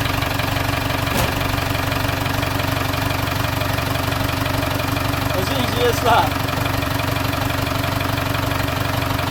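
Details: British classic car left in a barn for years exposed to weather: engine catches and settles into a steady idle with a fairly even beat, about three pulses a second; running after long storage.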